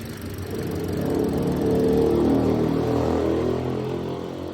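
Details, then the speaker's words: Sigra petrol engine revved and held: the note rises then wavers with a stumbling, sputtering pulse and strong vibration at idle and held RPM; coils, plugs and throttle body were checked fine, idle was reported too low. "Kalau ditahan RPM-nya lajunya nyendak-nyendak. Tapi kalau lagi netral, mobilnya diam netral, suaranya berebet, mesinnya bergetar kuat guys."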